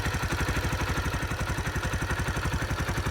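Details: 2005 Kawasaki Eliminator 125 after replacing a faulty petcock fuel valve, tank full, no leaks: small single-cylinder thumping at a steady, even idle of about four pulses a second, no misses or knocks. Normal idle.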